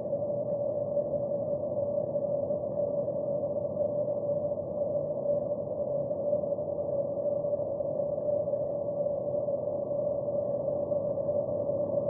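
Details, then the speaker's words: Water leak at a fire hydrant heard through LD-18 leak detector with noise reduction on: constant muffled static-like hiss with thin steady tone, traffic rumble removed; water main leak. "at a fire hydrant without the help of noise reduction technology. The water leak sound is a constant noise, almost like static noise."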